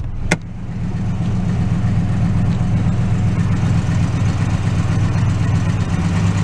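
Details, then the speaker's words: 2004 Toyota Tundra V8 at idle: the idle is high, and when it kicks down it runs very rough with an uneven, lumpy beat and stumbles. The check engine light flashes, and the scanner shows random multiple-cylinder misfire plus an O2 sensor code. "if that goes to kick down it runs very rough idles very wrong i can feel it right now if i'm hitting it he's breaking up"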